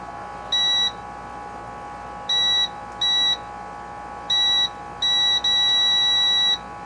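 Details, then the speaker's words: Sears LT1036 lawn tractor Tecumseh engine points being checked with a continuity tester: short high beeps in bursts then one long tone; after cleaning debris from between the points with sandpaper they now close and make contact. "There we go. So there was something stuck between the points there. So now it's working."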